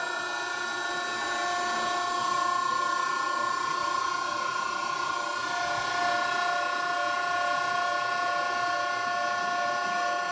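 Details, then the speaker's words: Fixed displacement pump hydraulic power unit, 10 hp motor at full-load 12.5 A, loaded via ball valve, about 2650 PSI at 6 GPM: steady high-pitched multi-tone whine without wavering; pump running normally under full load. "so 12 1/2 in we got about 2650 PSI so if you do the math on that 6 GPM at 10 horsepower then that's about what it should be"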